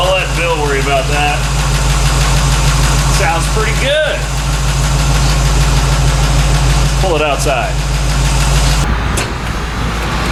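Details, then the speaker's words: 1964 Chevy C10 with a somewhat tired small-block 350, Rams Horn manifolds and new true dual exhaust with Thrush mufflers; deep, even V8 idle burble, fuel pump now noticeably loud; normal idle. "wow that fuel pump's loud probably couldn't hear that over the exhaust before"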